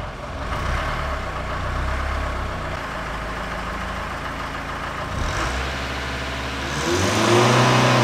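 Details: Mercedes W110 naturally aspirated diesel, started after the battery went flat: diesel clatter settling into a steady idle, then revs climbing near the end. No obvious fault audible; alternator suspected of killing the battery. Diesel running and revving.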